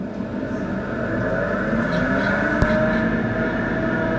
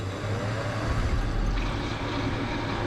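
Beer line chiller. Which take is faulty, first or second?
first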